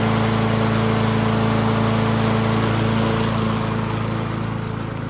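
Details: Yard Machines (MTD) 22" High Wheeler push mower, 4HP Quattro Briggs & Stratton, after all found issues corrected: steady, even single-cylinder drone holding speed through the cut, no misses or surging, fading as it moves off; running right.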